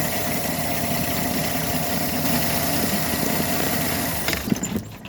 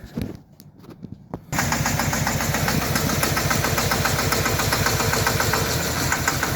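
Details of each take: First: 2013 Chevy Silverado 4.3 with suspected throttle body codes, freshly started: steady, smooth idle with no shaking or misfire before the engine cuts out; idle sounds normal at this point. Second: 2013 Chevy Silverado 4.3 with throttle body codes: after restarting and moving the wiring harness, the engine idles with an uneven stumbling pulse and dropped beats. Check engine and traction control warnings come on. Misfire from a shorted wiring harness.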